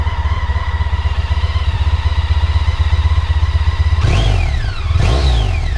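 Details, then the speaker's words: Honda ST1300 on stock exhaust: even idle pulse with two clean throttle blips rising and falling smoothly and no odd noises; healthy revving. "So this is standard pipes, Honda ST1300. Give it a bit of a rev, you can have a listen to that."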